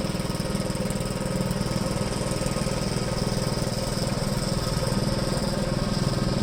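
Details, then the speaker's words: 1973 Gravely C8 tractor, donor single-cylinder engine after a swap and ignition timing, with the plow attached; earlier backfiring has cleared. It thumps evenly at about four beats per second with no popping or skipped strokes: firing cleanly now. "all right it's not too bad we'll do a couple of laps here and see how it does"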